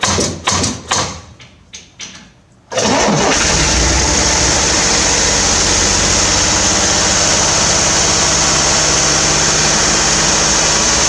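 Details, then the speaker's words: 1968 Corvair, first run after installing a mechanical fuel pump, fed from a boat tank with both chokes closed: several cranking bursts, then it catches and settles into a steady fast idle that never drops. Idle too high, a recurring issue. "Alrighty, well, I'd say that runs. Yeah, I'm pretty happy with that. It definitely idles way high, but that is an issue that I've seen just about every single time I've tried to start this car."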